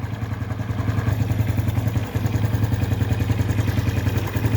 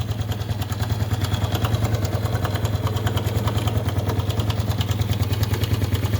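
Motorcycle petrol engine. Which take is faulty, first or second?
second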